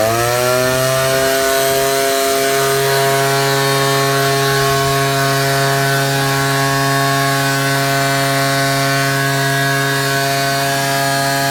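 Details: Ryobi 38cc two-stroke backpack blower, after a cold start with choke: spins up in the first two seconds, then holds a steady high buzzing whine at full throttle; normal full-throttle run.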